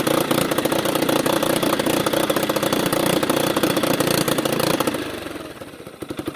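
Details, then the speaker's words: 1989 Yamaha Big Bear 350 ATV after sitting 10+ years, with the hand removed from the air intake: single cylinder thumps unevenly, never picks up, sags and fades; won't rev, owner suspects too much air, carburetor fuel-air problem. "Now without my hand there won't re at all."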